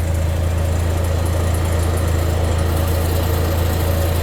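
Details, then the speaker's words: Chevrolet HHR at idle during a fuel leak check: a steady idle hum with a faint whir riding over it, coming from somewhere up front; the owner hears the noise but has not pinned down its source or cause. "oh gosh you guys hear that noise that's from up man"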